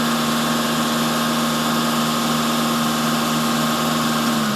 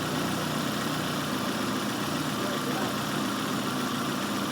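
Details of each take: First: Engine held at steady raised revs during a vacuum gauge test, where idle vacuum reads 19 and dips only slightly when held: even hum with no dips, misses or hunting, so it is running normally. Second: Engine idling at about 800–900 rpm on a vacuum gauge demo, then sagging and labored as atmospheric pressure is let into the intake. The simulated vacuum leak makes the idle struggle and keep dropping.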